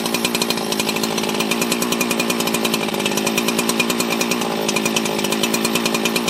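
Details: 24-year-old Husqvarna 365 chainsaw revived from junk, just after first start post-reassembly: high, crisp two-stroke buzz at a steady, even pace without misses or hunting; running strong and clean. Normal chainsaw running.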